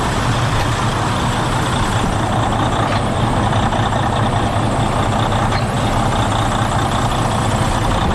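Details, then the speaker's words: 2011 Freightliner Coronado DD15 diesel just after replacing fuel injectors and harnesses and priming the fuel system: it fired right up and holds a steady, even low idle with no knocks or misfires. Normal idle after repair. "i'm gonna turn it on and then see if it if it'll crank over he's trying and she fired right up wow that worked fantastically"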